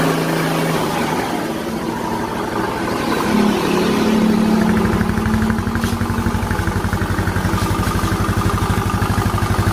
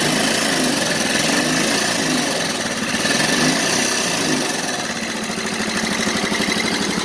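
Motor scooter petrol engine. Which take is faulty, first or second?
second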